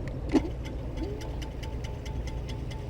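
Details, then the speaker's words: FLJ T11 2400 W electric scooter after brake pad replacement, caliper being adjusted: a light, regular scraping tick as the free wheel spins over a quiet background; the disc rubs one or both pads. "il fait du bruit, cela signifie que le disque est en cours de lecture sur un ou les deux pads"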